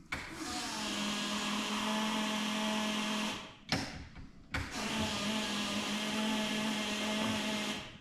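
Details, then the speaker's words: Fuel pump priming with ignition on in a Zetec turbo Mk2 Fiesta with little fuel in the tank and twisted, bodged fuel hoses. Steady whine with an uneven bubbly gargle; suspected to be sucking air, possibly a leak or fuel pipes swapped, unconfirmed. "Should we put some fuel in the tank? Because it sounds like it's gargling air, to be fair."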